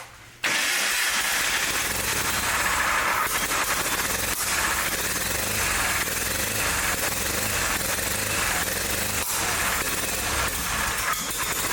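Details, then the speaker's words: John Deere 318 lawn tractor, started with help from starting fluid, catches and runs at a harsh, uneven, flat idle with no crispness, and it got hot fast; ignition fault, points gap too small and barely opening. "To me, it sounds like it's got an ignition problem because it's running, but it got real hot real fast."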